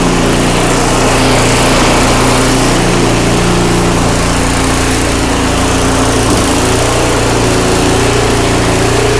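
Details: Craftsman 5/24 track snow thrower, previously wouldn't run right, after carburetor cleaned with carb spray and compressed air: steady even buzz, no surging or stumbling; runs well, normal running.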